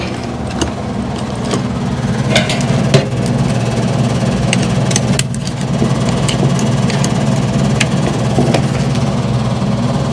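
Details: 2013 Lennox AC system with a previously replaced blower motor: loud steady low droning hum with a shaky vibration and stray rattles; noise traced to the blower motor, shaking from a weak run capacitor.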